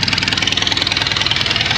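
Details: Grey Ferguson TEA20 tractor, minutes after first start: rough, stumbling idle about twelve pulses a second, sounding like one cylinder dropping out; spark found on all four leads except number two.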